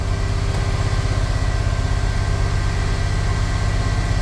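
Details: Chevy square-body crew-cab dually with 454 V8, just after O2 sensor replacement, still slightly rich, cold: steady deep idle held at a raised, even speed with no stumble, the usual high cold idle.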